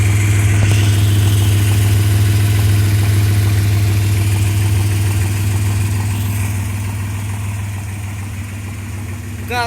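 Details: 1995 Suzuki Escudo with H20A petrol engine at idle: low drone with a regular knock of three to four beats a second that worsens with revs; bearings suspected but cause unknown despite a replaced part.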